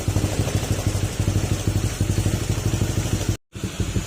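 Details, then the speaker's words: Honda Click 160 after an engine overhaul with an aftermarket crankshaft, caused by overheating and running dry of oil, now with stock pipe and coolant refilled, still needing a remap; steady idle putter with no knocking; engine quiet and healthy. "Yan, tahimik naman yung makina, bukod lang doon sa tunog ng 5, medyo ano yun na, pag naka 5 parang tulog kargado, pero tahimik na yung makina niya mga sir."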